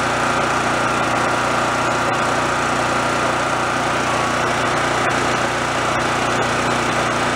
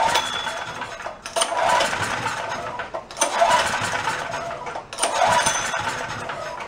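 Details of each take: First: Roadside-found Chinese knockoff mid-size generator, warming up on the low side after repair, output switched off with no power yet, frequency to be checked and tweaked. Steady, even buzz with no misses or surging: normal running at low speed. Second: Roadside-found Chinese knockoff mid-size generator after carburetor work, running worse than before; owner wonders if the main jet screw wasn't down far enough but doubts it. Surges and sags about every two seconds, never settling: rough running, surging, fuel starvation suspected.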